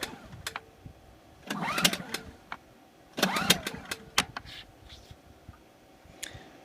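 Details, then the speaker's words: New Generac iX2000 generator on its first start. It was primed six pumps, but the first three were dry. Two pull-cord rattles and clicks produce no firing. No start because fuel has not yet reached the carburetor. "it called for six pumps initially but the first three were dry I didn't know if they took that into account or not so I just gave it three more to bring three full types of fuel into the familiar"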